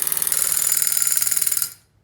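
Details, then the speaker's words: Street-race nitrous setup with a trans-brake nitrous interrupter board and wide-open-throttle switch; once the trans brake is released, fast, even, sharp clicking of about eighteen per second for under two seconds, then silence: nitrous solenoids pulsing normally. "and you won't hear the solenoids clicking until he releases the trans brake"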